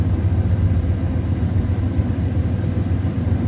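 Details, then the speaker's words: 2007 Dodge 4.7 V8 with an intermittent idle surge, just restarted after replacing the PCV valve and cleaning the throttle body; high start-up idle near 1000 settles to a steady ~700 rpm rumble without hunting; not yet hot. "Anyway, dude, it's idling right at 700."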